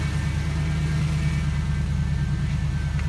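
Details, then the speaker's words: 1998 Jeep Wrangler TJ with 5.3 LM7 V8 from a 2003 Chevy Tahoe, first start after LS swap and fuel pump and wiring fixes; even low burbling idle, steady beat, no tapping or misfire. Normal idle. "let's see what happens here we go all right listen do it per get that fuel pump that sounds so good"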